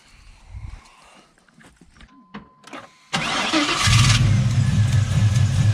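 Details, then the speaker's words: '95 Chevy 1500 LS-swapped to a 5.3 V8 from a 2001 Tahoe, stock NV3500 5-speed, tuned, in neutral: quick crank catches into strong even low rumble, settles to steady idle; healthy start. "We'll crank it up and let you see how All turned out."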